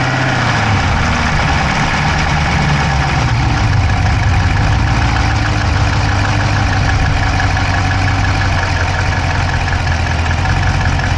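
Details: Dodge Charger Hemi V8 at steady idle, recorded inside the driver's-side engine bay: a quick, light ticking that keeps pace with engine speed. No exhaust smoke, so the owner doubts a dropped valve; cause not pinned down.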